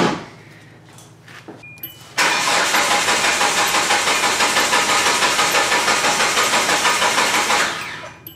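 Starter spins steadily, about three pulses a second for five seconds, and the engine never fires; a blank tune gives no spark or fuel.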